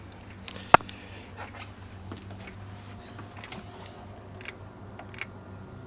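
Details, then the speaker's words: BMW E92 335i with swapped-in E90 engine (parts car, valves lapped), ignition on and pedal held to bleed coolant: electric coolant pump only clicks, one sharp click then faint ticks, no whir; owner suspects the pump has died. "so it's just clicking and it's not actually firing"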